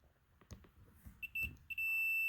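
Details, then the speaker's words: Shop Vac that won't start, switch tested with a multimeter: handling clicks, then a steady high continuous beep with the switch on; continuity shows the switch is good, fault lies elsewhere. "okay a continuity switch is good"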